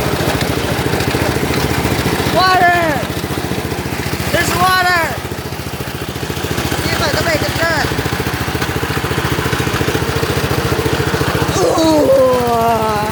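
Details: Lawn tractor, cold start on a cold day, idling: a fast, regular ticking scrape of about three or four a second rides the idle; the cooling fan broke off inside and rubs as it turns.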